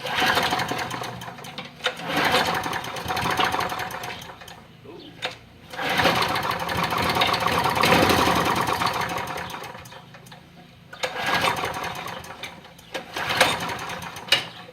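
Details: Push mower after replacing the primer button, which earlier had trouble firing; small single-cylinder engine fires and buzzes in bursts, catching and running once primed, with quick light chatter.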